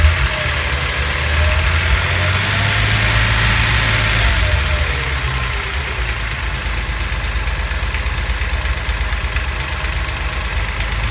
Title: Knocking noise cylinder 5